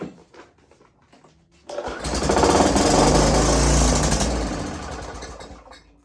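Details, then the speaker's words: Greasy curbside-find two-stroke string trimmer, fresh gas and oil added, primer working status unknown, given a shot of starting spray: catches with a rapid buzzing run that fades within seconds; starts then stalls, owner thinks it needs more fuel. "well that sounded uh sounded okay but it's not staying running so who knows"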